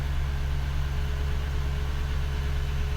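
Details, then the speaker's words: 2001 Ford F-150 4.6 V8 just restarted after cleaning the intake plenum for a P0401 EGR code, with the battery reconnected: a smooth, even low rumble held slightly above normal idle with no stumbles, expected to drop in a few seconds. "it's idling a little high assuming that's gonna drop down after a few seconds here"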